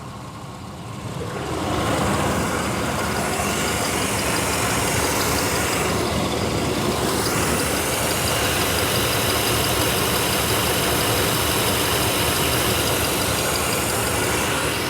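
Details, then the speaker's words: 1993 Chevy 1500, first run after sitting 16 years with new battery: fires and settles to a steady, even idle with smooth low rumble and no knocks; sounds healthy, though smoking later appears. "No knocks, no dings, no loud noises from the end. Ah, what is it? Power in sounds good."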